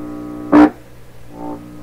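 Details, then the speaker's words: 1928 RCA Victor Model 28V radio: steady low hum, then a loud brief burst of hum when the detector tube grid is touched by finger, which softens and recovers; the grid leak resistor is apparently working properly. "So that suggests to me, this is the first time I've heard this radio do this, that the grid leak resistor element is working properly here."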